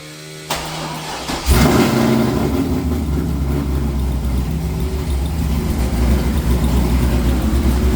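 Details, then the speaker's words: C5 Corvette V8 with 228R cam after Time-Sert head bolt repair, coolant temp sensor plugged in, headers hot: fires into choppy, lopey idle with a faint light ticking underneath; owner suspects a bad sensor, not confirmed. "hole look got a little tick tick tick tick tick tick tick tick tick no huh no yeah bad sensor"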